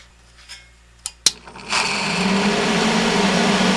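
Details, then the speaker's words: 1970 Triangle Mobile Home Products 115 V bathroom exhaust fan, bearings worn from long dry dirty use, oiled about two years ago: sharp clicks at switch-on, then smooth steady mid-pitched whir, no rattle; normal running. "makes that rattle when you start it but operates smoothly once it's running kind of makes a slightly different sound every time you turn it on"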